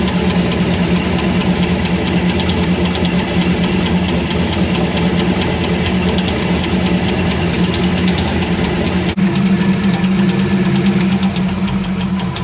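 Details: C5 Corvette Z06 V8 at idle, heard underneath near the harmonic balancer: quick, light ticking keeping time with the engine, louder on one side; source not pinned down, owner doubts the balancer.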